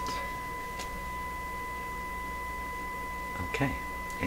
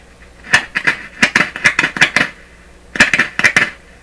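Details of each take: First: Westinghouse Model 1029 multiband tube radio during IF alignment check, about a millivolt signal injected at the IF frequency: steady pure test tone at constant pitch without buzz or distortion; clean audio output. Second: Westinghouse Model 1029 multiband tube radio, heaters on, before B+ is applied, monitored before and after the volume control: irregular sharp clicks and chirpy crackles in two bursts from the speaker; DC in the volume control suspected, possibly from the test amplifier.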